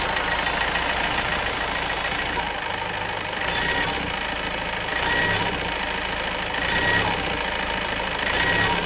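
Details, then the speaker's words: Mahindra Marazzo diesel with DRV valve reconnected: tak-tak knock gone but idle now hunts slow-fast, swelling and sagging about every 1.5 seconds, codes not clearing; high-pressure pump to be replaced next, cause not confirmed. "DRB लगाने के बाद हमारी engine में कटकट sound तो खत्म हो गया लेकिन यह नई मिस्टेक आ गई जो स्लो आरपी स्लो फास्ट होने लगे"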